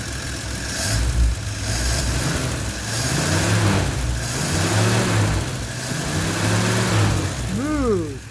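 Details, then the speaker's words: 1960 DKW three-cylinder two-stroke, just restarted after gasket work with a 6-volt booster: even, steady low rumble with smooth firing and no knocks or ticks. The owner expects about 120 psi compression across all cylinders. Normal idle. "Smooth as silk. I don't want it to get too hot. That is really nice. Oh yeah. Listen to that baby purr."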